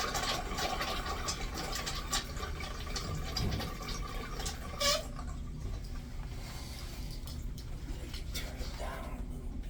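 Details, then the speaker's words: Newly installed urinal flushometer valve: water rushes with a thin, steady high-pitched squeal for several seconds, then it fades as the flow settles. It sounds like the handle; cause unconfirmed. "But unfortunately, it looks like I'm gonna have to take this apart again to see why it's squeaking like that. It sounds like the handle."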